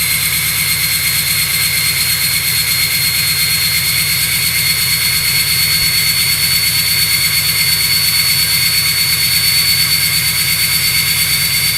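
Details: 2005 Ford F-350 6.0L Powerstroke diesel with oversized Garrett turbo, EGR delete, 155/30 injectors, 4-inch turbo-back exhaust and SCT tune, start-up at high idle: steady idle with loud, constant high-pitched turbo whistle; normal.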